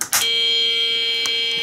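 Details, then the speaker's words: BBC Model B microcomputer after power supply recap, at power-on: steady unbroken mid-pitched tone instead of the normal short startup chime, traced to a faulty DFS boot ROM. "well that's not good news a continuous tone like that means that there's normally a serious problem somewhere with the main motherboard of the of the BBC"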